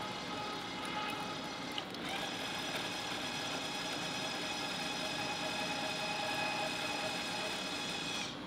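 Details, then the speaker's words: Electric tapping arm with a rigid holder, no clutch, cutting 3/8-16 with a spiral flute tap through a plate. Steady, even motor whine with no bogging or chatter: a clean cut without difficulty. "so super easy to tap it like I said I could definitely adjust that clutch even heavier on this one it has no problem doing it"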